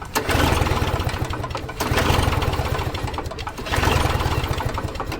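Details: Toro Snow Commander snow thrower, wet spark plug: three bursts of pull-cord cranking, each catching briefly with low chuffs and dying; likely flooded, fuel supply to carburetor about to be cut.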